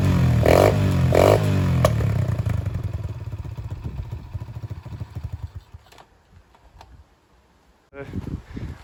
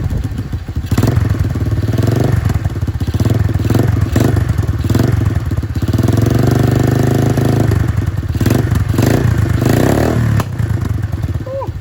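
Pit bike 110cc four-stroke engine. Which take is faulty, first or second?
second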